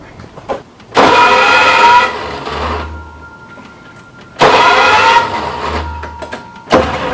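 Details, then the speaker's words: 1972 International Scout II not started in five or six years, fuel poured into carburetor, fuel pump and filter refitted: two short starter-cranking bursts, engine never catches; crank no start, fuel not yet drawn all the way to the pump. "haven't been started in five or six years and I just need to get fuel to the fuel to come all the way to the pump"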